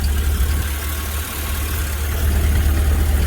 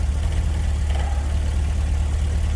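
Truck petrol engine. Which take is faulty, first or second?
second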